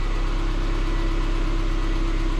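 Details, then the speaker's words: 2006 Subaru Forester after power steering pump leak fix with new O-ring, some air still in fluid: smooth steady engine hum, no whine, hitching or stiffness lock to lock; normal power steering pump operation. "power steering is nice and quiet get to get that typical noise when it's all the way side which i'm not concerned about nice and quiet it's nice and smooth from one side the other no hitching no stuttering no stiffness"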